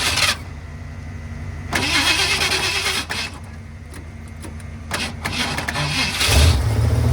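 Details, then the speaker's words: 1978 Ford F-150 V8 plow truck after splicing in a new fuel hose to fix a leak: fires after a few tries into a lumpy, uneven idle with small stumbles; sticky throttle, owner suspects vacuum leaks; rough idle. "the throttle is a little sticky uh and I think we have a few vacuum leaks maybe but I am [Music] complete"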